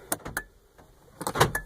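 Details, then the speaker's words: 2004 Honda Odyssey power locks: two quick clusters of sharp lock clunks from the other doors while the driver's door actuator stays silent; driver door lock dead from a multiplexer board fault, repaired by soldering a jumper wire. "all the other locks work. You can hear them, but not my driver's door."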